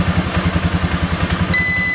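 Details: Polaris Sportsman 400 (ECM fault: fan running with key off): even thumping idle about eight beats a second, no stumbles, thin high tone joins; voltage regulator/rectifier working, charging jump pack; normal idle.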